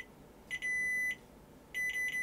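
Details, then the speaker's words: Sony Betamax Super Beta SL-HF600 (711B2 deck): continuity tester beep on the cassette-down switch drops out in short broken bursts instead of holding steady; dirty switch contacts need cleaning. "it's sort of working yes right so I need to clean the contacts on the cassette down switch"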